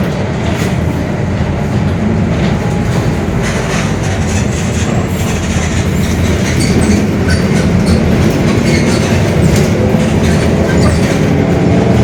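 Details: Mercedes-Benz OF-1721 Bluetec 5 diesel urban bus, Mascarello GranVia Midi body, built 2021, onboard: heavy low rumble under drive noise staying steady through the run, a growling (roncando) rear differential.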